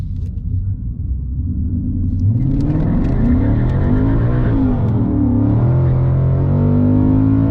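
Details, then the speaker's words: 2019 Mustang GT at drag strip, drag strip mode, traction control off, launched at 1500 rpm: engine note climbs and wavers as revs flare with tires spinning for traction, then sags and bogs down; tachometer all over the place. "So you'll see here that I do struggle for traction. And if you listen to the RPMs, you'll hear it kind of spinning out of control there and then bogging down."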